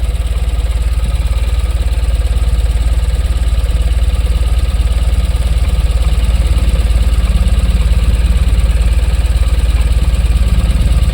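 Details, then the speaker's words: Tata BS6 petrol engine, warmed up until temperature stabilised: steady, even low idle pulsing three to four times a second with no misses or knocks; idles normally, no DTCs. "गाड़ी निष्क्रिय अवस्था में आ गई है। कुछ समय तक तापमान स्थिर रहने के बाद, यह स्थिति बनी हुई है।"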